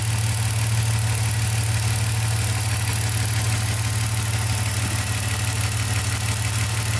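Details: BMW M54/M62 engine with an LPG (gas) system after a repair for a sporadic misfire: a steady, even petrol idle with a smooth low hum and no stumbles. The misfire fault was a poor connector contact on the sixth injector, with no signal.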